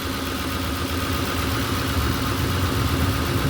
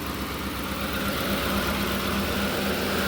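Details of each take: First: Ford Expedition at steady even idle, no knocks or misses and no overheating, with the cooling fan kicking in and rushing constantly on top; fan running normally. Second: Ford Expedition V8 at idle after sitting: steady low rumble with a faint irregular pulse and only a slight shake, no real engine noises or overheating; listener suspects a weak coil may be misfiring.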